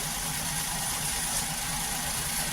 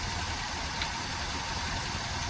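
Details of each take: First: 2013 Maruti WagonR, K-series three-cylinder, after ignition coil replacement: an even, steady idle with no hunting or shake. It had been running on two cylinders with misfire, vibration and low mileage; all three cylinders now fire. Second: 2013 Maruti WagonR, K-series engine, hunting at idle with vibration, low pickup and mileage, no check light: steady but lumpy idle with uneven throb; coil swap test shows cylinder 2 ignition coil dead, causing misfire.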